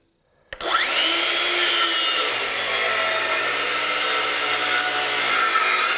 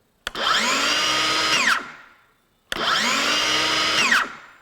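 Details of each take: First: Craftsman V20 brushless 7-1/4" circular saw CMCS550B, battery just over half charged, full-depth cut across 4x4 treated lumber: loud cutting roar with motor pitch sagging and labouring; plugged dust port packing sawdust slows the saw, though it still cuts. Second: Craftsman V20 brushless 7-1/4" circular saw CMCS550B with electric brake, on a 2Ah battery, free-running: two runs, motor whining up to full speed in a rising tone, then braking sharply to silence within half a second; healthy brake.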